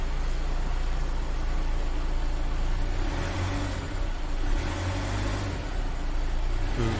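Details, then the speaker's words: Volkswagen Taigun that cranked but wouldn't start due to a bad battery, after battery replacement: the engine revs up and settles smoothly with an even exhaust note and no knocks or misses. It sounds healthy. "यह देखिए good condition अब आप देख सकते हैं यह हमारी गाड़ी पूरी तरह से तैयार हो चुकी है"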